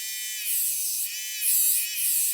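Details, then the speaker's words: Hachette Avro Lancaster B.III model motor from pack 39, tested on a battery pack and circuit board; thin high electric whir sagging and surging as the motor, pushed off centre, binds. Problem later traced to length. "you can hear something starting to bind."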